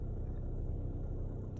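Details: Kia Ceed CRDi 1.6 (136 bhp) diesel idling: a low droning hum that wavers and dips in frequency, seemingly from the front, caused by a failing fuel pump that was replaced under warranty.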